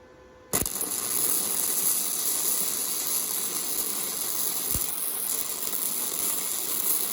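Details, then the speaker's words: Harbor Freight Titanium Flux 125 flux-core welder, a pass with voltage backed down and slower travel: a harsh, uneven hissing crackle with no steady frying rhythm. The arc is erratic and the weld sounded terrible. "oh that sounds that seemed terrible it didn't even sound good"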